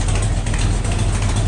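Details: 1972 Buick Skylark with a freshly installed 427 V8 on first fire for break-in, rocker straightened and timing checked: deep, steady idle with even pulses and no valvetrain ticking, running smoothly; exhaust has an open O2 sensor hole.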